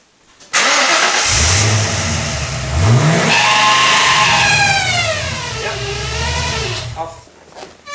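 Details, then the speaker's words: Ford AU Falcon XR8 V8 starting and revving, high squeal rising and falling with engine speed, worse above about 2,000 rpm, persisting after a new tensioner pulley; not the belt, found to be the camshaft position sensor, fix suspected as a drop of oil. "Well, this is the sensor for the camshaft. Mm-hmm. And in the Ford forum it says that they create a bit of noise, so and someone's mentioned that they fixed it by putting a sort of drop of oil down i"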